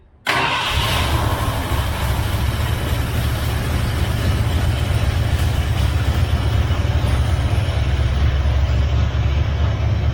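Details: 1978 Ford F-350 V8, parked 11 years, first start with a new carburetor, new HEI distributor and an electric fuel pump: catches almost instantly and settles into an even, steady low rumble with no misses or knocks, running healthy.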